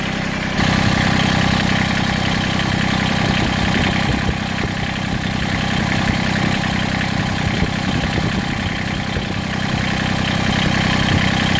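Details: Massey Ferguson GC1710 sub-compact diesel tractor idling with an uneven, lumpy beat, heavy vibration and power roughly halved; owner suspects one cylinder misfiring or dead, not confirmed.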